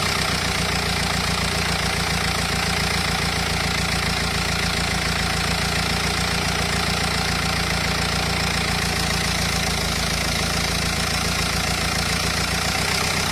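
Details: Renault Espace 2.0 dCi diesel idling steady: busy, uneven clatter layered over the usual tick, abnormal engine noise, cause unclear.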